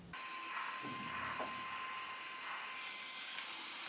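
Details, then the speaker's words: ISDT SC-608 charger cooling fan after balancing with tape: soft even hiss and faint steady high tone, no wobble or rattle; smooth, well-balanced normal fan running. "this was now perfect not sure if you'll be able to hear the difference but here is the fan before and here is the fan after"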